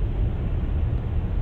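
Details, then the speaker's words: 2011+ Jeep Grand Cherokee WK2 at 70 mph after windshield seal fix: steady low road and wind rumble with no whistle or hiss; the whistling noise fix worked. "right, so there is 70 miles an hour. As you'll hear, there is absolutely no leaks whatsoever. So, our hack worked, that's fantastic."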